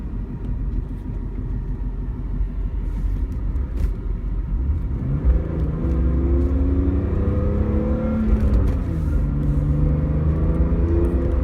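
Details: BMW E46 M3 engine rumble with wavering tones rising and falling with revs plus an odd irregular low throb; abnormal, source not identified.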